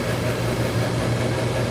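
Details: HVAC refrigerant recovery machine running, filling a recovery tank with sight glass flashing: steady low motor hum with an even drone and no knocks or rattles; running normally.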